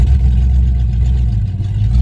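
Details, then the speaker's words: Ford Mustang GT V8 after 8.8 rear axle rebuild, open headers with mid-pipe off, check engine light on: loud deep rumble with uneven, lumpy beat; running rough, cause not confirmed. "like I said it's it's open headers so it's not going to sound good probably get a check engine light yep check engine lights on no OTs [Music] oh oh that sounds rough does it move"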